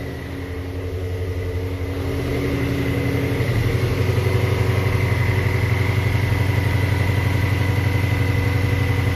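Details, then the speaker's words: 3,800-mile 2019 Shelby GT350 at first start after Whipple Gen5 3.0 supercharger, catless long-tube headers and oil pump gear install, in neutral: catches and settles into strong even idle with steady blower whine, good oil pressure, slight exhaust smoke. Normal idle. "here goes nothing guys wow it started right up good oil pressure thank you a little bit of smoke from the exhaust check the belt"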